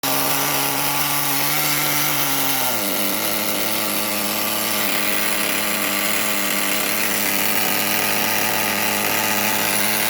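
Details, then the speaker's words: Traxxas Rustler nitro RC engine, after hard starting after fueling and inconsistent idle were traced to a bad fuel tank: high, buzzy two-stroke note dips briefly then holds steady and even, no stumbling or surging; running properly. "okay so as you can hear it runs pretty nice"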